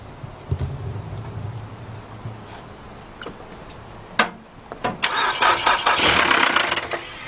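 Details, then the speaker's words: 2007 Nissan Altima no-start during serpentine belt job: starter spins engine fast and uneven with no catch, then loose metallic clanks; sounds like no compression, possibly jumped timing (suspected, not confirmed). "it sounded like we wanted to start at first but it sound like really loud the sound has got no compression listen a this thing sound like it has no compression"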